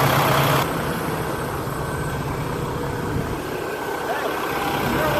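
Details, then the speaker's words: Engine idling just after an AMSOIL oil change: low, even idle with no knock or tapping; the engine noise heard before is gone, only exhaust remains; normal idle. "The engine sound is, I don't notice it anymore. Before I hear it. Wow. Now it's completely gone."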